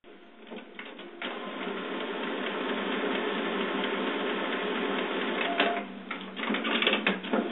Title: HP printer makes strange noises...